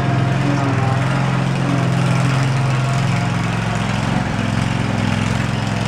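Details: Field-find riding lawn mower on its first drive test, before its oil change, throttle all the way up: single-cylinder engine pulls steadily with a firm, even beat and slight load dips while driving; running fine.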